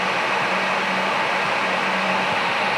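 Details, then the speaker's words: Brushless cooling fans driven by a CWI Performance G2 PWM controller in test mode, spinning up after duty is applied: steady, even rushing air with a faint constant hum and no rattle or scrape; normal fan running. "So they're brushless fans, so they're doing their test. Now they started going."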